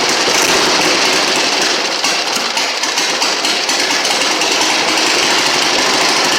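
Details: 1960 Harley-Davidson Ironhead Sportster first start after sitting since 2010, after magneto points and condenser check and fresh fuel; loud, busy, uneven popping beat of the old twin firing steadily with no gaps, running properly again.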